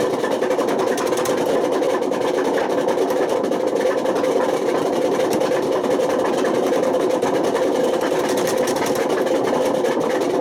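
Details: Washing machine at high spin with badly worn drum bearings: continuous harsh rumbling roar with gritty crackle; damage has spread to the spider and worn the motor, and bad bearings can smoke, overheat, spark and start a fire.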